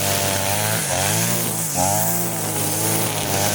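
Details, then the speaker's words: Side-mounted brush cutter, carburetor mixture screw at its underside turned half a turn for nylon-line use: light steady buzz with brief dips while cutting grass, no bogging ("no ho-ho"); healthy running. "bunyinya itu ringan guys ya, bunyinya itu ringan, tidak ada ho ho ho, tidak ada ya."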